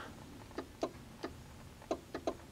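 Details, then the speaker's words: Chevy S-10 with no instrumentation and no heat, key on, orange fan-speed-4 wire jumped to power at the heater switch: sharp dry clicks, about six in under two seconds, the blower relay switching normally; switch okay, fault lies in the heater system. "I hear the relay clicking which means that our problem is actually going to be out there with the heater system"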